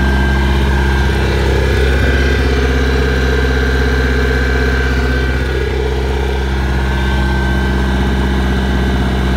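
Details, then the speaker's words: Bayliner 175 boat after about 10 minutes running following 7+ months storage: steady even low warm idle hum, constant tone, no misses or knocking; everything looks good. "she's been running for about 10 minutes now everything looks good I'mma to pull her back down the idle"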